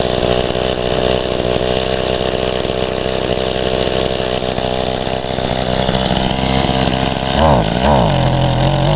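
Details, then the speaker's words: Mantis mini tiller, first start in about a year and little used; two-stroke buzz steady then sags and wavers as it starves; boggy, owner attributes it to nearly empty tank, also wonders about a clogged spark arrestor screen. "she ain't running out that well it almost it's acting like it's going to run out of gas yeah she's very boggy though it's just because it's not much"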